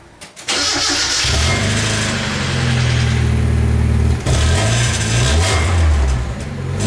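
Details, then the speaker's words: 1990 Mazda Miata after installing a new replacement exhaust (after a new catalytic converter failed to cure a rattle): engine catches, deep loud raspy drone with throttle blips. "a little ricey really l loud huh"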